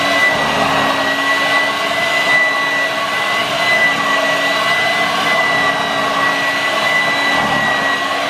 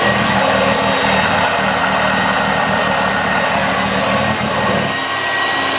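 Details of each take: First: Vorwerk VK 117-1H upright vacuum running, motor bearing somewhat dry: steady whine with irregular low fluttering from a loose air flap flapping back and forth. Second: 1986 Vorwerk VK 117-1H upright vacuum cleaner running after a modification; steady motor hum with constant airflow rush, no rattles or surging, working much better.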